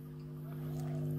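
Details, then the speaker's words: Single-ended tube amp (rebuilt Champ clone) after hum-busting with star grounding and a 1.5K cathode resistor with 25µF bypass cap: idle with the mic very close, a faint steady low hum with even overtones; noise floor quite low. "getting up very close and I think you can hear that there's a little bit of hum but once I start making a bit of noise I you'll see that the uh the floor noise is actually quite low"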